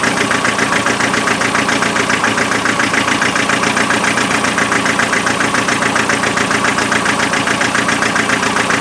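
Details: Land Rover 2.5 naturally aspirated diesel idling with a steady lumpy beat, about two and a half pulses a second, a rough uneven idle fitting a dead cylinder; thermal camera showed the rear cold, and the injectors were then spray-tested in the air.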